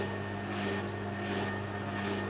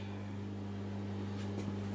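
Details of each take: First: Bendix compact 7159 washing machine, spin selected while drain pump stays permanently on; even motor hum with soft swish about 1.5 times a second, drum picking up at the end: normal spin cycle. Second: Hoover A3308 washing machine switched on with no cycle started: a steady low electrical hum from the drain pump running continuously straight away, a fault.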